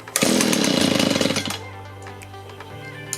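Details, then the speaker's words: Discarded Echo two-stroke leaf blower after fuel line replacement, switch turned on: raspy bursts into life at high revs for about a second, then drops to low idle; starts and runs on choke before carburetor adjustment. "choke off i'll warm it up and adjust the carburetor"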